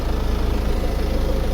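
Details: 2015 Ford Mondeo MK5 estate: deep, even idle drone with a fast buzzing pulse underneath from the rear passenger side; fuel pipes loose from their bracket under the car vibrating, fixed by clipping them back.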